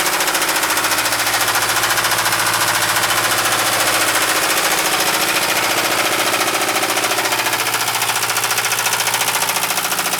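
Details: 1973 Mercedes 220D diesel at idle: sharp, hard knocks evenly at roughly three and a half per second; deep bottom-end knock, likely rod knock.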